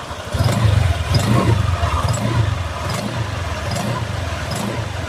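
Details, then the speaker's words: Honda Vario 150 first-generation scooter idling before CVT teardown, camera close to the CVT: coarse, gravelly drone with a faint tick about once a second; rough CVT noise, suspected worn rollers or damaged drive belt, not confirmed. "Nah, di sini di sini ya kita bisa mendengarkan suara kasar dari CVT Honda Vario 150 ini ya."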